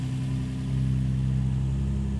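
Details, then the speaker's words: Crashed Nissan 350Z convertible from auction, first start, heavy oil seepage and dirty engine, no check engine light seen; short, smooth, steady idle with even hum and no valve ticking: normal idle. "No está mal. No está mal. Por lo menos no le escucho ningún ruido de válvulas extraño."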